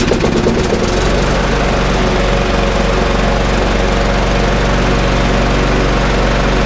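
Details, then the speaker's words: Briggs & Stratton 3.5 lawnmower, primed and pull-started, catches unevenly then settles into a fast steady beat with no misses; runs well, only the air filter needs cleaning. "runs absolutely sweet as a nut, which is good. So it doesn't need any further work other than the air filter to be cleaned."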